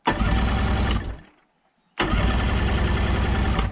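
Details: 1990 Sea-Doo GT, 587cc, during spark check: two bursts of steady starter cranking with a gap between, engine never catches or fires; no spark found from the ignition.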